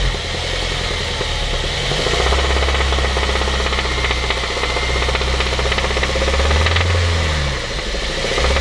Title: honda civic type r ep3 2004 engine knocking